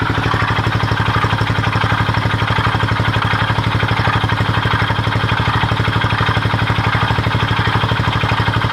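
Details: Honda XL250S at steady idle: gritty grinding that pulses about four times a second in time with the engine; source unknown.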